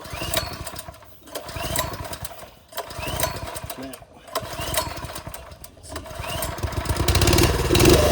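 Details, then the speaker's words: TrailMaster go-kart small engine that wouldn't start after sitting over winter; after blocking the air box intake and pulling over to suck the carb jets clear, it fires and runs ragged and surging, won't idle; clogged carburetor jets, carb to be pulled. "So it's not one to idle, but that basically fixed our problem. Because you're causing the suction, air can't flow through the carb, so it's sucking through all the orifices in the carburetor. So it actually, it's just not one to idle, which means the jets are clogged."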